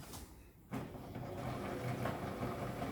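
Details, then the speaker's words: Vintage Janome sewing machine after repair (it had just blown a fuse, possibly a power surge or overwork): after a quiet start the motor settles into a smooth, even stitching rhythm with no knocks or grinding; working fine, normal running. "anyway that's working fine now sounds really smooth"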